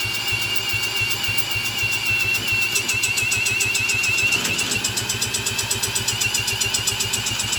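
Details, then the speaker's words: 1986 Honda Fourtrax 70 ATV, not run in years after carburetor trouble, spun over with an impact tool, ignition on: quick even chuffing about four beats a second under high tool whine, never catches; owner suspects no fuel reaching the engine. "easy all right so I don't know if we're getting fuel doesn't sound like it at least I don't know if it's getting fuel didn't even sound like you're wanted to fire"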